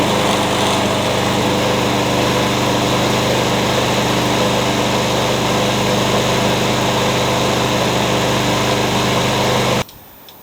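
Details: Curb-found mower, blade-brake kill switch zip-tied, started with carb cleaner; steady even drone, no misses or knocks, then clean cutoff, sounds pretty good, rear-wheel drive works; normal running.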